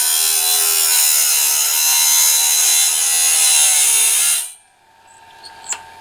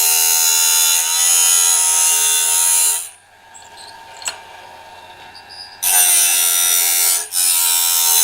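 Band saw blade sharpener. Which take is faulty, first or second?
first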